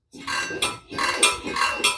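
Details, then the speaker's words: Troy-Bilt mower after tune-up, spark plug out and engine turned slowly by the pull handle: four scratchy metal rubs, one per pull, from the top; the flywheel is rubbing on a badly fitted cover held by one wrong screw. "yep we still hear a noise on this so let's get back under it and see if we can figure that out"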